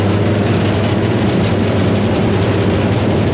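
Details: Forage blower on a Fendt 926 filling a silo with cocktail mix from a Claas 960 chopper, rocks going up: a steady, unbroken roar over a constant low drone, with no knocking or speed dips. It is running steady, not going up super fast.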